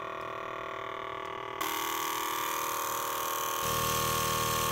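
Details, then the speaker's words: MAC electronic boost control solenoid on a Megasquirt-tuned car, bench-tested via TunerStudio before engine start at a higher duty cycle: steady rapid buzzing tick with hiss as it pulses air partially, so the wastegate actuator sees an average. Normal cycling. "it's only sending it partially it's vibrating like that because it's sending pulses of air"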